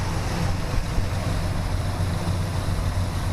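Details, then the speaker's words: 1971 Chevelle V8 after roller rocker swap and adjustment, AC belt not yet tightened; steady, even low idle rumble with no ticks or knocks; normal idle. "running sounds good I got to do the AC I just got the belt on there just to I wanted to fire it up and make sure everything was kosher with the adjustments and everything and everything seems to be sounds good"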